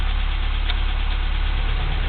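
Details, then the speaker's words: 1987 Toyota 4Runner SR5, 22RE four-cylinder, 5-speed, warm, cool night, after fitting a used A/C idle-up VSV: steady low even rumble, no knocks or surging; idle holding about 850 rpm, slightly higher than normal; normal idle. "so now you can see the idle is uh maintaining at about 850 that's a little higher than it normally is"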